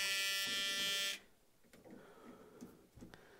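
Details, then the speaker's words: 1980 Dodge W200 restoration with Magnum 5.9L, new aluminum radiator, first electrical power-up with ignition on: steady high-pitched electrical buzz for about a second, then cuts out; the cooling fan never spins, fault not yet traced. "Does the fan work? No. Oh! Let's try it now. Nope."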